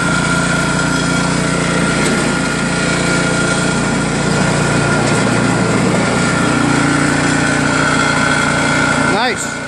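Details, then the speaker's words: New Craftsman snowblower with Chinese PowerMore single-cylinder engine, after carburetor cleaned of ethanol gum and fuel line and tank blown out: runs steady and even at fast speed, no missing or surging; normal running. "Alright, that was it. Looks like it worked great now. Full throttle, just pull it."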